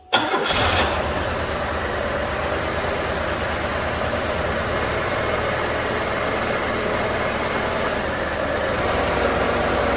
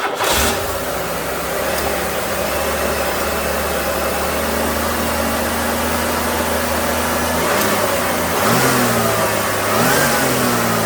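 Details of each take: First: A 1994 Buick 3800 V6 with tuned-port injection, pre-OBD2 with no misfire counting, cranks, catches quickly and settles into an uneven, loping idle. Shorting plug wires showed a cylinder pair not contributing, so one of its three ignition coils appears dead. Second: 1994 Buick 3800 tuned-port V6, after a misfire, with new coil, spark plugs, PCV valve and air filter: it starts and settles into a smooth, steady idle with brief rev blips. The AC compressor is short-cycling, low on refrigerant. Normal idle.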